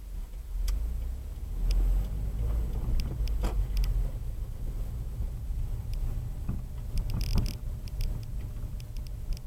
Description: WRX 2016 front suspension noise.